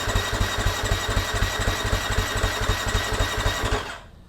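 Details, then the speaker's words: Husqvarna FC250 after new fuel pump, new plug and fresh fuel: starter turns engine at steady four pulses a second without catching, bubbling as it primes pump and throttle body; tries to pop, owner wonders if injectors clogged. "hmm I hear it bubbling it's still trying to Prime I'm sure it's just trying to Prime because it had to fill up the fuel pump Plus the throttle body"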